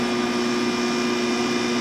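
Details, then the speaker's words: Air conditioner started on low fan speed and running off an 800W inverter converted from an old Belkin UPS on 24V batteries (two 12V) from an electric trike; steady even hum with airy fan rush, no surging or rattles, running normally. "then we'll turn our air conditioner on I usually turn it on on low speed just so it doesn't have a hard startup wattage there we go we have cold air for free"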